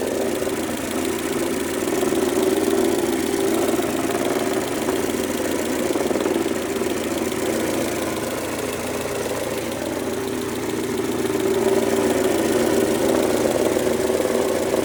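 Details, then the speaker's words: 2003 Mercedes-Benz A140 (W168) at idle; a sudden new front engine noise, fast fairly even tapping clatter over a raspy mid-pitched drone; cause unknown, owner asking for help. "jetzt macht er vorne seine Motorgeräusche und dazu bräuchten wir eure Hilfe."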